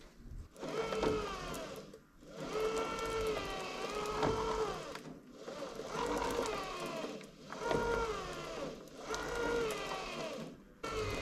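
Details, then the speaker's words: Low-power electric motor driving a farm machine's chain: whine sags and recovers about every two seconds, straining; motor itself apparently fine, too much friction, stiff chain rolling joints dragging, to be freed by loosening chain and WD-40. "Too much friction because it's not a powerful motor. It's quite tough to turn that. It shouldn't really be that hard."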